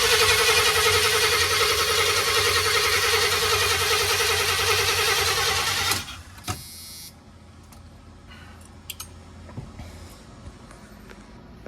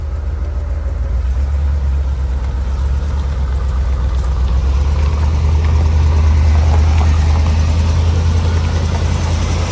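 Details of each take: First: Chevy 4x4 van with a small-block TBI engine: about six seconds of fast, steady cranking that never catches. The fuel pump relay is not switching on, and a too-thin 10 A fuse is suspected. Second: Chevy 4x4 van with a small-block TBI V8 idling after two ECM fuses were replaced, with a fuel pump relay fault still unresolved. A steady deep rumble with an even beat and no knock or tick: a normal idle.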